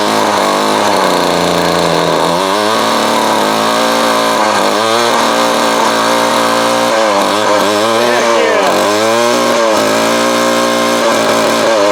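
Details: Vintage Craftsman 22.2cc 14-inch two-stroke string trimmer, estimated early-to-mid 1980s, original spark plug and fuel filter, fuel line replaced and carb cleaned; steady high buzz at even speed, no misses or surging; running cleanly.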